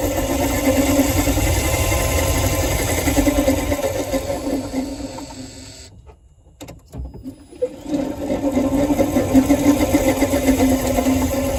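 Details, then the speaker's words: Renault Zoe EV, 71,000 on the clock, microphone under the car: low rumbly, warbly wavering hum typical of worn traction motor bearings. "okay right so hopefully you could hear that that real kind of um yeah low um sort of rumbly warbly kind of noise uh fairly typical"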